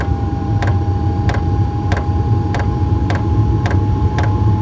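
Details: Diesel heater on level one after its 3-minute warm-up: steady low roar of the fans with a constant mid tone and faint even ticks about every two-thirds second from the fuel pump; running normally once lit.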